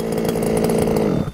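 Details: Losi 5ive-T 2.0 small gas two-stroke with a new Killer RC Super Bee kill switch: steady, even buzz that stops cleanly at about one second when the controller is turned off. It runs smoothly and the failsafe kills it as it should.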